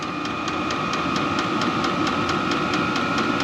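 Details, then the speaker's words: Cheap 27,000 BTU Chinese diesel heater installed in barn, exhaust muffler outside: steady burner roar with even tick about twice a second from the fuel pump as fan spools up after lighting; running normally, fairly quiet. "man she's really kind of spooling now this is going to be a lot quieter but I mean it's not bad guys not like a bullet heater"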